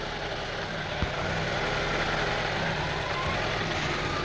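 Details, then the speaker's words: 2002 Honda CR-V 2.4L, rough idle and stalling, after cleaning the idle air control valve under the throttle body: uneven, slightly lumpy idle with some hiss on top; unchanged, IACV or throttle body suspected. Rough idle. "See, I cleaned the air control valve beneath there, located beneath the throttle body, but did not solve the problem. Maybe the throttle body is bad, or maybe the air control valve is bad. So, as you see, still the same"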